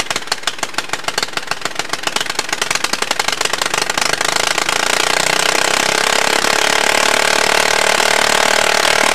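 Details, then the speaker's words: Retro Allis-Chalmers racing tractor after an engine swap, governor removed, unmuffled: bangs speed from a few per second into a continuous screaming roar while the kill switch had unplugged itself; engine overspeed, near runaway. "wow that could have been really bad full uh runaway engine and everything jeez it started picking up towards the end"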